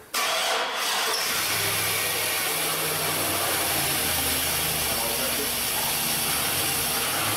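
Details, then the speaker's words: Chevrolet 1500 4x4 with replacement 5.3 V8 after blown engine, first start with fuel pressure primed, watching oil pressure: quick crank, catches at once, smooth even idle, no knocks or ticks; normal start. "all right well it runs that's it show's over thanks for watching"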